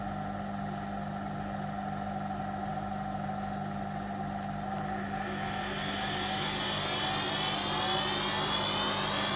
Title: Hotpoint Aquarius WMA58 washing machine || 2 in 1… bad motor bearings and drum bearings special!